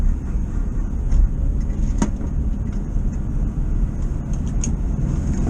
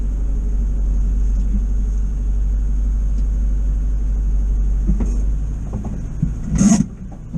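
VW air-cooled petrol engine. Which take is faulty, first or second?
second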